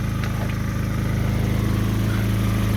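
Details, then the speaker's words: 2010 Kia Soul, about 12–13 years old, after a DIY repair of the muffler flange on the resonator side. Steady low idle with a fast, even puffing pulse: a slight remaining exhaust leak at the flange. "I think it still has a slight leak to it but yeah it's kind of leak you can hear it"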